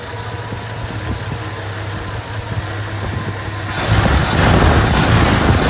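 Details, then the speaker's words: 1985 Ford Bronco 300ci 4.9 inline-six converted to 2-barrel carburetor, cold start: steady even idle then higher fast idle before kicking down, clean and healthy. "have to wait for it to kick down off a high idle there"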